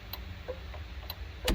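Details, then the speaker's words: 1978 Firebird Formula, newly rewired from scratch with custom gauges, on first start: light, slightly uneven flasher clicks about two per second over a low hum; only one blinker indicator lights, which the owner suspects is not a wiring issue. "one thing about doing these custom gauges is my blinkers were not gonna work now i know one of them is lit up"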